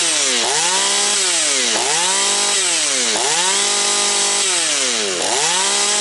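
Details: Husqvarna 240 chainsaw after rebuild, still breaking in, idle to be raised: high crisp two-stroke scream dips as the chain bites and climbs back cleanly between cuts; smoking slightly afterwards; healthy saw cutting well.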